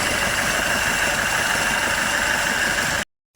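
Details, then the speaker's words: Citroen Nemo diesel: uneven lumpy idle with harsh clattery hiss; running badly from petrol found in the diesel fuel plus a leaking pipe. "It's actually petrol. Somebody's filled this diesel with petrol at some time. So there's the real reason it's not running right."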